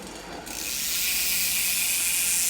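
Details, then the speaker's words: Trek Rail e-bike, known-good rear wheel spun in the frame as a reference: a fast, even ratchet buzz, the normal sound of a healthy freewheeling hub. "that's how a wheel should sound when it's just running in the frame and freewheeling"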